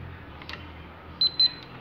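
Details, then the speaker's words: Lasko tower fan that would not turn on: after lubricating the power button with WD-40 and pressing it in a circular motion, it engages with two short high beeps; normal power-on signal. "Miren, le voy a dar en círculo y va a prender y se escucha un pitido."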